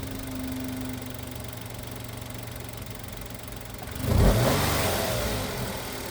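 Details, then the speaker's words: Kia Picanto / Hyundai i10 1.0 G3LA engine, 70,000 km, after replacing the worn timing chain: smooth idle, clean rev and settle, with the chain rattle completely gone. "come potete sentire il rumore è completamente sparito Quindi era proprio la catena di"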